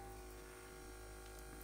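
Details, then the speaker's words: Cheap "ultrasonic" jewellery cleaner switched on: low, even buzz with coarse shaking and no high-pitched sound, subsonic rather than ultrasonic; it sounds and feels like just a counterweighted vibration motor, no ultrasonic transducer. "uh that doesn't sound particularly ultrasonic to me in fact that sounds very subsonic to me that sounds and feels"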